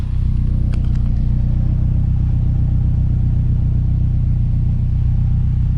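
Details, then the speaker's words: Honda S2000 at idle after an injector swap: low, even exhaust rumble with steady firing, no longer bouncing around 1,000 rpm and without the occasional extra tone heard before; a smooth, healthy idle. "Exhaust sounds like a smoother tone. I'm not getting that extra little tone that pops up every so often. It's a nice steady tone."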